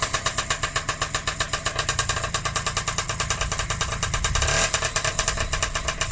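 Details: Honda QR50 after full restoration with a new carb, first start in the yard: fast, even crackle of about six to seven pops a second settling into a steady two-stroke beat; running after rebuild.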